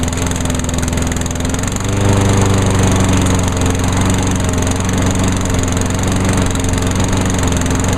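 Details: 2003 Craftsman push mower with a Honda GCV160 OHC engine, started on choke; steady, even single-cylinder putter with a smooth, unbroken beat. Running normally.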